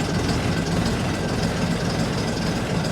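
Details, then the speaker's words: AEC Matador 7.7-litre diesel after injection pump and injector overhaul, restarted after running over an hour, warming up in cold weather: deep, even rumble with no knocks or misses, still a bit smoky; normal idle. "It's starting to warm up now. Still a bit smokeoky, but don't sound too bad."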